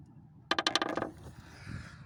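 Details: Lada Priora, front right strut tower: a quick burst of about seven sharp, dry cracks as the metal is flexed by hand; the cracked strut tower causes the knocking and grinding, fixed by welding.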